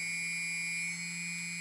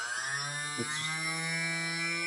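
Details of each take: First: TBS Discovery build, one of the good G motors running on a table, vibration checked with iPhone iSeismometer app: clean steady high whine with an even low hum, no wobble or buzz, barely any vibration felt through the table. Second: TBS 900KV brushless motor at half (hover) throttle, balancing with black electrical tape as weight: steady high whine with buzzy rough edge; tape placement made imbalance worse, needs moving.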